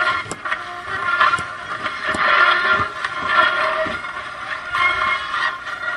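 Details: Vintage Magnavox console record player, owner reported staticky sound and records not dropping; harsh scratchy hiss with irregular clicks and pops instead of music; not amplifier, stylus needle gone, bare metal dragging groove.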